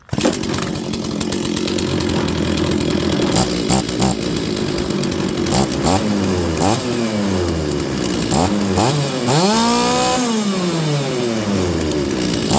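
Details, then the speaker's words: Stihl 036 chainsaw, old saw brought back to running: revs up and down, then holds high at full throttle with a slight uneven four-stroke burble; carburetor mixture set right and the saw is healthy. "okay listen for before stroke this thing's this thing's in good shape"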